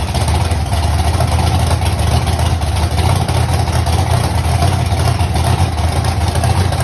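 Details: Mustang V8 first start months after a fire: steady low rumble with uneven lumpy beat at idle, seems not firing on all cylinders; cause unconfirmed.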